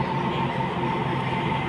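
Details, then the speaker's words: Tata Zest with humming from the rear while driving, rear wheel lifted and spun freely: steady droning hum with faint constant whine; worn rear wheel bearing. "ഈ ഒരു sound നമ്മൾ ലോഡൂടെ വണ്ടി തറയിൽ ലോഡൂടെ വരുമ്പോഴത്തേക്ക് നല്ല രീതിയിലുള്ള മൂളിച്ചയായിരിക്കും കേൾക്കുന്നത്. ഓ എന്നുള്ള ഒരു മൂളിച്ച."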